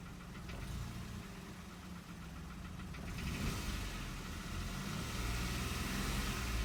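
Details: Hyundai HB20 three-cylinder engine: steady diesel-like ticking clatter about four knocks a second over idle, growing with revs; cause unconfirmed, one mechanic suspects piston pin noise, others call it normal three-cylinder noise.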